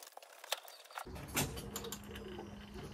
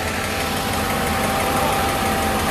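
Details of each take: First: Restored Mercedes with new radiator, before its first start attempt: starter alone turns the engine to circulate gearbox oil; even chug about three times a second, never fires. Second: Engine restarted after restoration with good oil pressure, smoking as oil on hot parts burns off: steady idle with a faint, quick light tick; the owner suspects a hydraulic lifter that has lost its prime.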